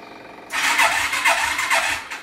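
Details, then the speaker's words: 1988 Suzuki 250 Quadrunner ATV, about 784 miles, running on its old replacement carburetor before a new carb is fitted: engine surges and sags a few times a second, spluttering and cutting out, possibly fuel-related. "so we've had this quad running before and it worked okay Max isn't it but it wasn't great it got cutting out and spluttering"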